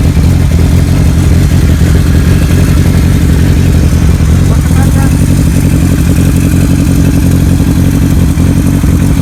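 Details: 1975 Kawasaki Z1 900 four-cylinder with Yoshimura pipes and big bore kit, cams returned to original, being ridden in to check for bugs. A deep, even note pulls cleanly through revs and riding with no misses or knocks: normal running.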